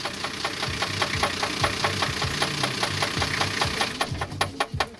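A sharp, regular metallic knock taps several times a second over a low engine rumble.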